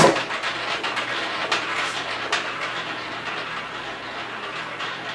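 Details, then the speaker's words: Acme Rollette game after customer repair, all numbers lit, ball launched by front button: sharp launch snap, then a fast rattling roll that gradually settles and fades; the ball runs freely, game working. "all right all the numbers that are lit up and now we'll launch the ball pressing the button in the front"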